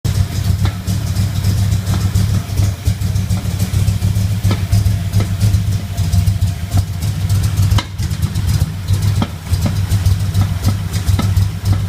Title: Popping noise at idle @ passenger side lower intake manifold